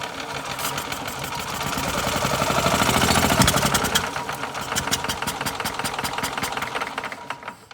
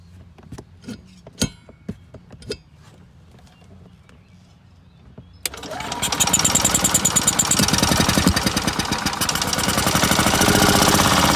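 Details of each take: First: Older Yamaha golf cart engine, sat unused a couple of years: catches on a shot of carb cleaner into the carburetor with a little backfire, ticks over unevenly then fades out; runs only when fed fuel, fuel starvation. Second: Older Yamaha single-cylinder golf cart after fuel system overhaul and no-spark repair, with choke as fuel reaches carburetor: scattered handling taps, then it catches and settles into a fast, steady chug about two hundred beats a minute; normal running.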